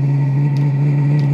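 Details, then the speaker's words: Diesel heater previously smoking white but not lighting, run on bench fuel pump and controller at maximum, pump about 4 Hz: steady low roar with soft pump tick about every 0.6 s; now lit and burning evenly. "so go all that out oh yes this is gonna take a while that to clear ah she's running"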